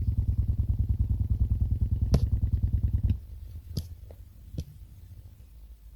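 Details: Xiaomi Redmi Note 2 phone connected to a car stereo by an AUX jack cable: even, low thumping clicks about three a second through the speakers, then they stop abruptly. The problem occurs only with the jack cable, not with headphones.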